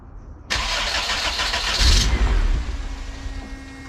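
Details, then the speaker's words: Turbo Honda CRX with newly rebuilt full exhaust, intercooler not yet connected to the turbo: brief crank, catches with a rough burst for about 1.5 s then dies; blocked intake, code 15 ignition output signal also shown. "i want to get this car to turn on the first crank it turned on for a split second and it's pretty quiet i feel like the biggest dummy in the world dude"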